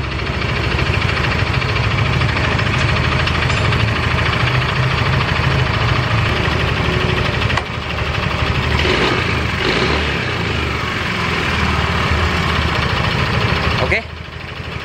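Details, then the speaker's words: Yamaha Mio Soul GT 125 scooter idling after another shop worked on block and cylinder head and replaced reed valves: loose, uneven metallic rattle over the beat from a missing piston pin clip; it also keeps stalling. "ini suaranya kemerizik sekali sobat"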